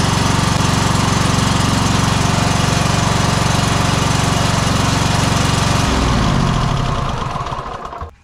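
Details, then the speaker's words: Exmark 52" Pioneer S zero-turn mower (PNS720KC523) with Kohler KT720 engine, running rough, low power, popping, bogging under load: lumpy chugging about four beats a second, one cylinder dropping out; weak, faint spark points to a failing ignition coil. "I do think this is still the same issue that I'm thinking it is we're having an issue with the ignition coil"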